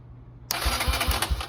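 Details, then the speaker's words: 2009 Kawasaki KLX140 dirt bike, sat about two years, cranked via jump starter: starter whirs and spins engine evenly, about four compression pulses a second, no binding; it cranks, normal starter cranking, spark then confirmed. "all yeah it cranks let me pull the spark plug out see if it starts or not"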